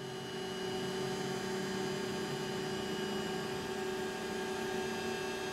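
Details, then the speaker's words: BOGE high-speed turbo compressor running normally: a smooth, even, fairly quiet hum with one steady tone and a soft airy hiss. It is about 10 dB quieter than a conventional oil-free screw compressor. "Borger high-speed turbo at 10 DB less worlds apart from an oil-free screw and a lot more pleasing to the ear"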